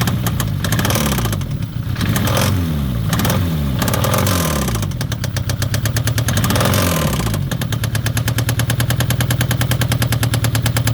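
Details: Citroen ZX 1.9 starting: the engine revs a few times, then settles to idle with a steady, rapid knocking over the running.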